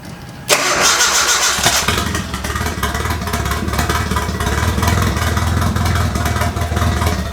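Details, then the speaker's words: Turbocharged KA24E engine (from 1993 Nissan D21, about 230k miles) in S13 after head gasket replacement and new fan: quick crank, catches at once, settles into steady even idle without misses or hunting; normal start and idle. "We reset the timing and it has made a world of difference. It's much more confident about it now."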